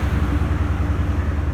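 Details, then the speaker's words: Nissan Frontier started after overheating and cold water added to the hot engine (owner suspects water pump): low throbbing petrol idle with an occasional uneven beat, a slight misfire; exhaust tone sounds a little off. "It runs, I'll show you. Let me fire it up. It's actually not running too bad. It's misfiring a bit, but"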